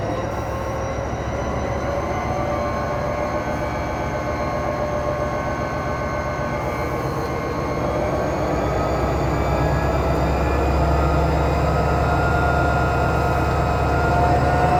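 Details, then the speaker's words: SD45-2 locomotive 8954 after freeing stuck fuel injectors, all injectors reconnected: heavy diesel rising smoothly to 8th notch in self-load, steady drone, no misses or knocks; normal running. "We run her up to 8th notch, even in self-load, just for a little bit. And everything's working the way it should."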